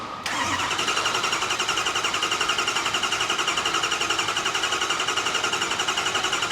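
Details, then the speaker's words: Ford 6.0 Power Stroke diesel after repair, started with one injector unplugged then fire in the hole; fires immediately to an even, crisp idle, hydraulic sound changing as the oil rail fills; normal start-up. "you can hear that hydraulic sound start to change as that log fills up with oil"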